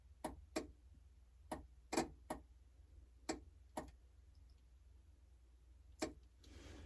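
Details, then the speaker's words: Lada Niva, jumper wire across the headlight switch plug's spade connectors: sharp, irregular relay clicks, about eight in seven seconds. No headlights, wire heating up; the wrong two wires were jumpered. "We're getting some clicks. I don't think we're getting no headlights. Ooh, that wire is getting warm."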